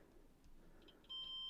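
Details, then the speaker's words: JVC RC545 radio cassette, continuity check on cleaner battery contacts and spring taken from a donor unit: steady high-pitched beep that holds without dropping out; good contact. "yeah we're all right and for the spring yeah yeah that's going to be fine so we can use those"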